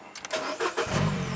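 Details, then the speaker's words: Mini Cooper that had a crank no-start with no spark, after jumpering power directly to the ignition coils: brief crank, catches at once, smooth steady idle, then revved and shut down; starts normally. "Yep. Starts and runs. Rev it up and shut it down."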